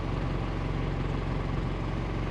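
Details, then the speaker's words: 1986 Toyota FJ60 warmed up after a poor first-start idle of unknown cause. Deep, even rumble holding a steady beat without hunting or misses. Normal warm idle. "so now we're a little warmed up and it's idling fine now. You can hear that nice rumble."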